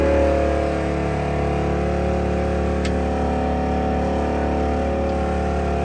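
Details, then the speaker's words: 1989 IMSA GTO Corvette race car, first start after 3 years: it idles under a loud, steady electric transmission-cooler fan whir, louder than before; the owner suspects a bent blade hitting sheet metal. "Transmission cooler. Oh, that's loud."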